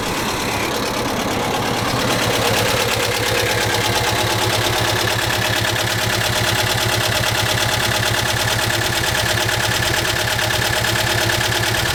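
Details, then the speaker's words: 1987 Volkswagen Vanagon engine, rear hatch open, recently revived with fuel lines: fires and settles into steady busy idle, no clear knock; owner reports no oil pressure, felt vibration and heavy smoking, suspects engine overheated, not yet gauge-checked. "Like I said, it does run, but so far, low oil pressure. Haven't been able to get the oil pressure up on it."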